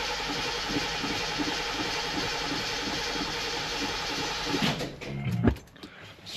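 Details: 1976 Ford Thunderbird revived after about 30 years with a charged battery and 3 gallons of fresh fuel. It cranks steadily for about five seconds but doesn't fire; no fuel is reaching the carburetor yet and the bowl is presumably still filling.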